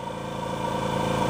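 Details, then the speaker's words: Bella Micro machine in aspiration mode at maximum pressure, primary vacuum 21–22 inches: a steady pump drone under a constant airy whistle into the handset that holds its pitch; normal airflow, showing this side of the machine is clean. "air flow and you can hear the air whistling into this handset and that airflow tells us how clean this side of the machine is"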